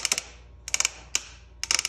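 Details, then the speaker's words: Multi-link mountain bike, frame twisted by hand with brakes released while listening with a stethoscope: clusters of quick ticking creaks on each load, audible but muffled at the upper pivots; a suspension pivot creak, source not confirmed. "so I got to let go of those and that's the sound I'm looking for it's audible but muffled same thing audible but muffled silent"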